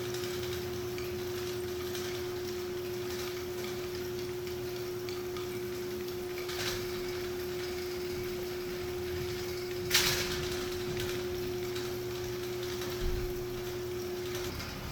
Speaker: So, since the humidity has gotten to our electric motor here, don't plug it in just yet. So, it's seized up. We have to help it.